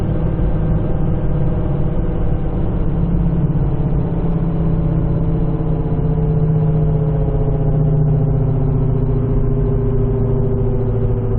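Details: Worn right front wheel bearing: a low droning howl holds its pitch over road rumble at a sustained 70–75 mph, appearing above 60 mph; infrared check after driving read right front hub about 138–140°F versus 110°F on the left, rear hubs 90°F.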